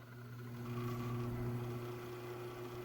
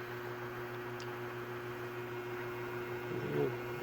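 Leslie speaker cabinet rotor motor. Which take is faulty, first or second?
second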